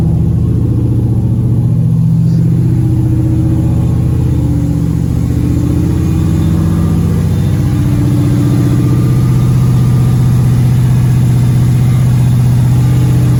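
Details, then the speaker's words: LQ9 V8-swapped 1973 Firebird with a 6-speed manual, warming up as the thermostat opens: fast, steady idle well above normal with an even low rumble. Owner suspects the choke. "It's idling really high, so I'm going to to take the air filter off and see if I can lower it. It's probably the choke."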